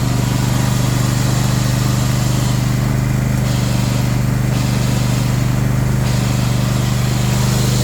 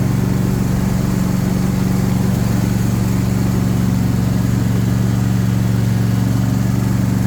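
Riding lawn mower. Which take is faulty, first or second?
first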